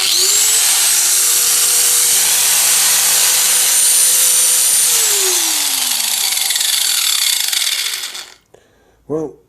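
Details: Cheap angle grinder that vibrated badly, after its unbalanced part was removed and it was reassembled. It spins up to a steady high whine and holds smoothly with much less vibration, then winds down evenly: normal running.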